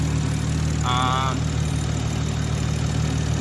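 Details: Big-turbo Toyota Supra after a custom fuel-system revision addressing a low reflex fuel pressure sensor code, started on a battery tender once the lines repressurized: a steady, even low idle with a brief chirp. A normal idle.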